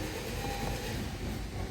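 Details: Honda Civic (2015-2021) cranking: steady fast churning of the starter, engine turning over evenly but never firing; crank no start because ignition coils had no power from a blown fuse.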